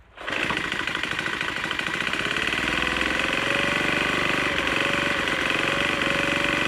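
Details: Troy-Bilt TB4HB EC leaf blower, unstarted 4–5 years, full choke, primed: catches and runs with uneven stumbling putter around 300 beats a minute, never settling, running rough. Breather loaded with oil; owner suspects compression leaking past rings.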